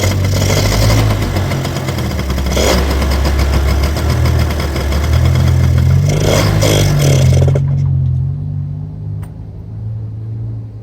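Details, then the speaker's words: 1985 Honda Aero 80 two-stroke scooter, not run in 32 years: it starts, revs under throttle for several seconds, then dies; owner suspects a clogged fuel line starving it, carburetor seemingly okay. "and so as you can hear it runs for a few seconds it accelerates under the throttle which means the carburetor I think that means the carburetor is okay but I don't think it's getting fuel"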